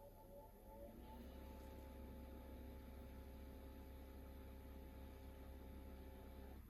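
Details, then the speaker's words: Truma camper heater showing fault code 525: fan holds one steady low hum and never steps up to second speed, and the gas solenoid valve doesn't engage, so the burner never fires; heater fan stuck at low speed. "Non, il passe pas, le ventilateur passe pas à la deuxième vitesse et l'électrovanne ne s'enclenche pas."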